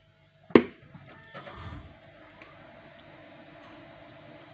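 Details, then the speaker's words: Desktop computer after cleaning and a few drops of oil on the fan that hummed at power-on: switch click, then only a faint, even hum, no extraneous noise; fan fixed, running quietly. "тишина и спокойствие никаких посторонних шумов нету я причина работает"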